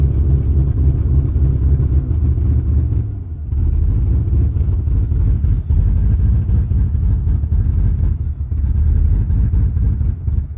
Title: 93 Chevy 1500 rough idle